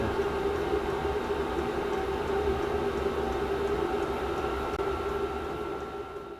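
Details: Chinese diesel heater in a shed running at full output after ignition, before settling to a low tick-over at set temperature: a loud, steady, even roar with a faint hum and no knocks or rattles. Normal fan roar at full power.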